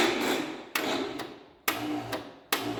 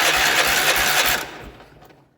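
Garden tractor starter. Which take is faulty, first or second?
first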